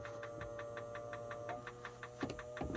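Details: 2006 Yamaha GP1300R after a top-end rebuild and motor install, on a temporary battery: a steady electric hum with soft ticking. It is the bilge pump running normally, and the gauge works.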